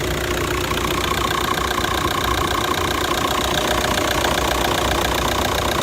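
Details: 2009 VW Touran 2.0 diesel, DSG-6, 118,000 km, idling: steady knock two to three times a second under the clatter from about 30 seconds, a worn dual-mass flywheel; DSG clutches also worn and need replacing.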